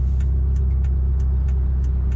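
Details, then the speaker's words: Mitsubishi Lancer EVO 5 with 4G63 engine at idle, stopped with aircon off, just picked up, runs well: light sharp ticking about three times a second over steady idle rumble, noisy hydraulic lifter tick common on 4G63s. "I can hear the noisy lifters, so you might be able to hear it through the camera. Maybe."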